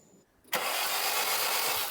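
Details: Barn-find 1990s Nissan Primera GT with SR20 engine, a gallon of fuel in, cranked on the starter with plugs out: the engine spins over freely and evenly with no binding, and spark is present.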